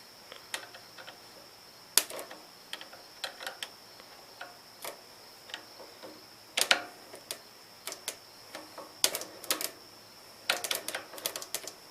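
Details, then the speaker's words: Gravely Pro 12 tractor, starter just refitted after bench test: sharp, uneven solenoid clicks with no cranking when jumped from a weak jump box; starter solenoid chatter from weak jump source. "That's solenoid chatter. That's more than I had before. So let's try to just jump it."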